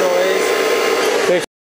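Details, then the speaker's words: Holden Barina converted to electric drive: the drive motor gives a steady, smooth mid-pitched whine with no roughness, the noise expected at about 60–70 km/h, after a crawling-speed demonstration. "So this is crawling speed and then this is the noise that you would probably have when you're driving sort of 60 70 km an hour."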